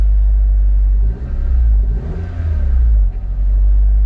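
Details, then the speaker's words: Honda Civic Del Sol: low steady drone with brief surges, around 1,500 rpm. High idle. "Still idling a little higher than it should be. Yeah, back to 1,500 RPMs again."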